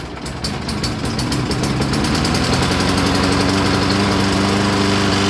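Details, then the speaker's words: 2003 Toro Recycler push mower after a gas leak was fixed and a new pull rope fitted; primer suspected faulty. Starts and settles into a steady, even single-cylinder chug with no misfire or surging. Engine now running good. "but it's not leaking gas anymore and it's running good so i solved that issue engine's good now"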